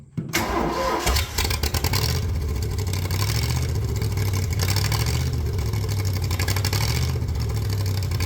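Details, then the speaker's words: Cold 302 V8 air compressor, no functional accelerator pump: cranks, catches, runs with uneven wavering rumble that sags while leaning out; rough cold running, owner suspects filthy carburetor. "This has got to be the weirdest sounding 302 I've ever heard. I think we're going to get it. She's a little coldblooded"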